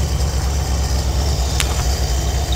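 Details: 1973 Ford Econoline 302 V8 with Edelbrock carb after gasket rebuild and fuel line repair, mechanical pump, no air filter, cold start with choke on: steady, even low rumble with no knocks or misses; idling smoothly.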